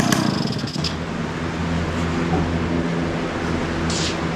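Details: 1971 Yamaha Mini Enduro two-stroke, after clearing an acorn piece and dirt from the carburetor: steady buzzy idle with a raspy, overly loud note because the muffler washer O-ring was left off. Exhaust leak.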